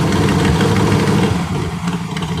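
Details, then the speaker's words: Chris Craft Stinger 222 inboard V8 at idle, mic near the engine: sharp rhythmic ticking that sounds like a knock but is an exhaust manifold leak at the port-side front cylinder, likely leaking a couple of years. "this is not a knock that's an exhaust leak up here on the manifold carrot yeah you hear the mic it's on this port side it's that front cylinder"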